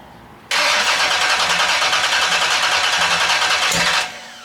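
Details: 408 LS stroker V8 first start after build, fuel pressure good: quiet, then a sudden catch into a loud, steady roar for about three and a half seconds before cutting off; engine fires and runs.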